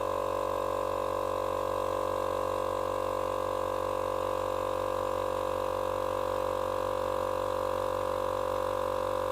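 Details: Small portable tyre compressor, which had stopped and run very hot from a seized bearing, now running after bearing replacement on its first cycles: smooth, even motor hum with a steady pump beat, no knocking or grinding; normal running.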